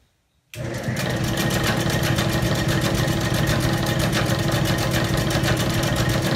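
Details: Old Bennett 541 gas pump motor run after years of barn storage: kicks in after a moment of silence and settles into a steady, even run with a light tick about three times a second; healthy.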